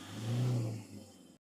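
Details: Toyota Innova after replacing the faulty three-socket injector driver (EDU) that caused idle vibration and check light: quick clean rev rises and falls smoothly, no shake or stumble; no DTCs, fixed.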